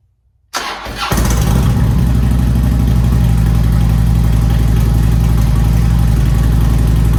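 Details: Harley-Davidson Street Glide Twin Cam after Screamin' Eagle cam support plate and high-volume oil pump upgrade: cranks briefly, catches fast, settles into steady lumpy V-twin idle, no knocks or rattles; hot-idle oil pressure slightly higher than before; normal start and idle.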